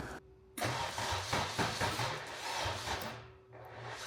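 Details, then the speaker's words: Toyota MR2 with K24 swap on Haltech Elite 1500 ECU, first start attempts: starter whirs in uneven bursts, never fires; fuel leaking, 58 psi fuel pressure. Crank no start caused by ECU top-dead-centre angle set at 70° instead of about 310°. "we could not get it to fire uh turned out all it was was I had to get into the halltech and set the top dead center angle correctly um it was at 70° before it had to be set to around 310"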